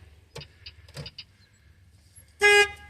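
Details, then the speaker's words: 2007 Peterbilt 379 flattop truck, newly bought, key turned in cab before cranking: a few faint clicks, then one short, steady, clear horn blast; horn works. "Horn works."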